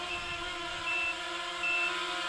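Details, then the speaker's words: Quadcopter maiden flight on an older battery: high short beeps about every half second over motor whir from the flight controller's small buzzer, which reads battery voltage, warning it is low; time to land. "the flight controller because we plugged this uh plug in there it knows what the voltage of the battery is so that was the small buzzer on the flight controller beeping to give us a warning"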